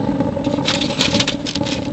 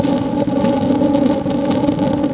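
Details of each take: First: J-tube rocket stove burning pellets: a steady, hard rushing roar with crackly patter over it. Too much combustion air is being pulled through, though the burn stays hot. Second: J-tube rocket stove burning pellets: a steady, even roar with a low hum and no sputtering or puffing. The air-fuel balance gives the blast-furnace "rocket" effect, aimed at over 1200°F for a water-heating coil.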